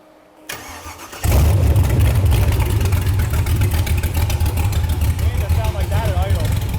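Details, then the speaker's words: Built all-aluminum Chevrolet LS 5.3 L V8 swapped into the rear of a 1999 Porsche 911: starter catches and it drops into a deep, choppy, loping idle, about 200 pulses a minute; healthy cam lope. "what you say we just sound like that at idle yeah sound good coming out of the back at 911"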